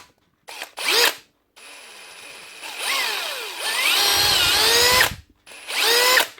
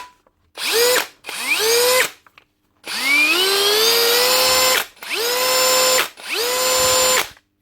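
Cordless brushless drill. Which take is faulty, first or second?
first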